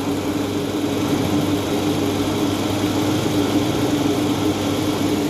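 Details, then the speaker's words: Toyota Alphard after balancer shaft replacement, idling in R: smooth, steady hum with no knocking; the rough abnormal noise that appeared as soon as R was selected is gone, confirming the worn balancer shaft. "kita dengar di samping Oke sip bunyinya udah hilang ya guys tadi di awal sebelum ganti balancer masuk R aja itu udah langsung bunyi ini udah hilang bunyinya"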